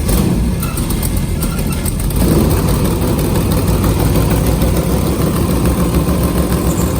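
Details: LS3 V8 airboat engine after a new gasket and spark plugs: deep, even idle with a steady low rumble and no misses, knocks or stumbles; running smoothly.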